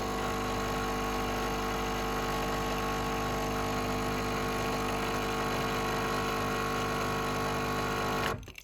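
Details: Home espresso machine pulling a shot after seven-second pre-infusion, targeting 28 in about 30 seconds: even, steady buzzing hum from the small pump holding one pitch, cutting off cleanly at the end; normal pump operation.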